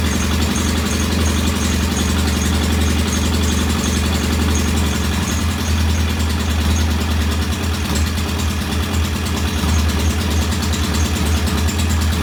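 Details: Norton P11 vintage British motorcycle twin, first start after carburetor fully disassembled and old dead gasoline replaced with fresh; low, uneven, slightly lumpy idle that never settles; one carb's pilot jet not following adjustment, suspected partly blocked.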